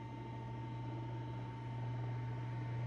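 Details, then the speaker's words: Eskimo 1005/1005R desk fan (McGraw-Edison, 55 W, 105-120 V AC), oscillating, after extra oiling. Smooth even hum with clean steady tone, no ticking or scraping; running well, bearings still need some work; normal running. "But it does look like it is running good now. Yeah, bearings are still need to get a little bit of work done, but I think after some use, I think it'll be a perfect running fan again."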